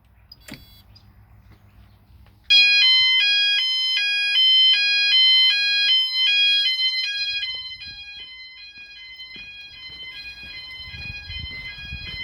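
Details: E.M.S. FirePoint System 5004 house fire alarm, Sound Alarms pressed on panel with key switch on, all sounders running: loud piercing alternating two-tone warble repeating steadily, audible throughout house; normal sounder tone.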